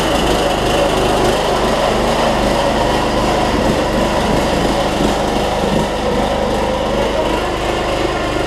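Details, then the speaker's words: Troy-Bilt Bronco 42-inch 18.5 hp riding mower on a cold day, after a broken transaxle spring was replaced and it drives again: loud, uneven, stumbling engine note that never smooths out; owner suspects a clogged carburetor low-side jet needing drilling or cleaning. "I might have to say that carburetor back off and drill that low side jet out it is I still running like running like crud so to speak"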